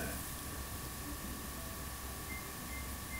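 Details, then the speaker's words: GE dishwasher after door switch/latch replacement: three short, evenly spaced beeps with blinking LED, still detecting the door as open; fault traced to a defective controller (power board). "i get the same thing i get three beeps and blinking led so it still thinks that the door is open"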